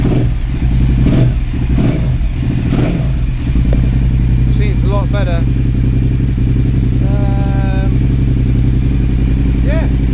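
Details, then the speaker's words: KTM 950 Adventure S V-twin after new air intake and rejetting: steady even idle around 1,250 rpm that stays unchanged as it warms; sounds healthy. "And when it's getting warm, the idle's not changing. So that sounds good to me."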